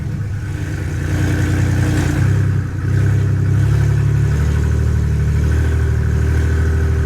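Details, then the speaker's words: BMW with a newly installed M54B30 inline-six, first cold start since the swap: smooth, steady run from cold, and the idle settles lower and evens out after a few seconds; healthy. "I haven't given you guys the cold start since I put the engine in so uh I'm going go ahead and do that right now for you guys"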